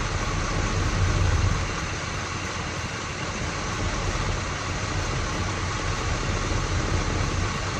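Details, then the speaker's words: 1979 Pontiac Firebird V8 after QuadraJet carb rebuild and new distributor, setting ignition timing: steady, even idle with smooth low burble, no misses, knocks or hunting; best idle found, distributor to be tightened at this timing. "Right there to me sounds like the best that it's idled at. So guess what? That's what we're going to tighten it."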